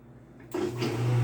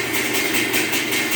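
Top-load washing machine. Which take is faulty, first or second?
second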